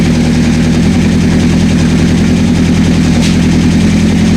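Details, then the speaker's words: 1984 Honda CB700SC at first start after a no-spark fix, with choke off and carbs not leaking: a steady, even, low exhaust throb with no misses or stumbles; all four cylinders are running smoothly. "all four cylinders are we got Spark all four cylinders are running"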